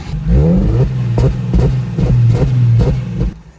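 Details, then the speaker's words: Drift car engine, damaged while drifting, blipped repeatedly toward redline; sharp clattering crack on each rev, rough unhealthy petrol engine; abnormal noise when revving, plastic pieces coming off. "so engine is not good we got plastic pieces coming off"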